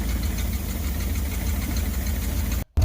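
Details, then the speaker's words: Ford F150 project truck with a clogged exhaust (it had been burning oil) that would start roughly and die; a 2-inch hole drilled to relieve pressure, so at idle it gives a loud, deep, chuffing rumble like a big exhaust hole. "That's why now it sounds like it has a big hole in the exhaust."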